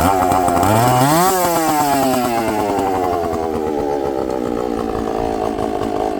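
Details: Chainsaw with good compression, just started after giving a little fuel on the bottom: a crisp rev that climbs cleanly, then drops back to a steady, even idle without stumbling. The diaphragms are probably hard.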